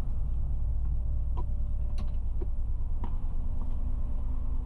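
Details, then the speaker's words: DLTB bus diesel engine on restart during troubleshooting: deep rumble at elevated steady high idle with scattered light ticks; throttle pedal gives no response, faulty sensor suspected, mechanic fetching another sensor. "Ayun, umistart siya. Mataas pa rin talaga yung minor niya mga kasaudrod. Kung maririnig ninyo ang ingay ng makina, oh. Taas ng minor."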